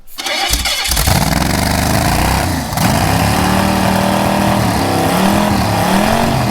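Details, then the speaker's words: Old engine sunk underwater for 30 years, cleaned up with heads and block resurfaced, first start: cranks briefly, catches quickly and settles into a smooth, steady idle with little smoke, no misfire or knocking; normal start and run. "Hollywood couldn't even reproduce this like this is just crazy and it sounds good sounds awesome and it ain't smoking a whole lot like it's it's kind of clean"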